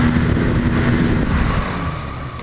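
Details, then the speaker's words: Vintage 1972 Rotron Caravel 9-inch muffin fan, 115 V AC, 53 W: startup with slight whirring building to a steady low whoosh and faint even hum, no rattles or scraping; healthy running. "let's see if I get a startup sound is really not much it's a little whirring and that's it all but it's there I can hear it"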